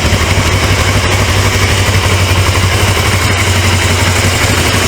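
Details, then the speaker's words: Suzuki GS450 GA automatic motorcycle (1980s, bought with a bad transmission), first start after carburetor cleaning: steady loud engine beat with a rough mechanical whirr underneath. Motor sounds healthy, but something in the transmission is making noise, like it's trying to go into gear; oil leak also seen. "there is something wrong with the transmission you hear it yikes"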